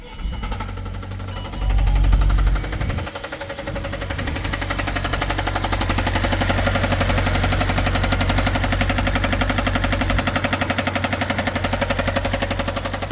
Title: Volvo Knocking sound #cars #knocking #mecanica